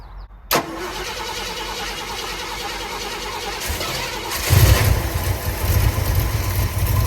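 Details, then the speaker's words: Rough running on a 1965 Ford F100 body on a '74 highboy chassis with a supposedly new crate 390 V8 and automatic; lumpy uneven low beat with surges after pump filled; owner suspects major vacuum leak at intake, carb-base spray test showed no change. "It still sounds like I got a major vacuum leak. I wonder if it's my intake."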